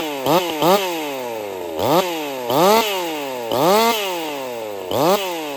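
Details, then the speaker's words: Jonsered 2149 50cc racing chainsaw build, factory air setup, warmed-up restart, cutting wood: revs up and drops back with sharp pops and crackle, won't clean up, four-stroking-like; weak ignition coil suspected. "It's got some coil issues. It won't clean up. She's got a pop to it, just almost like your four-stroking or whatever, but different. I've done this enough. I'm fairly certain it's got coil issues."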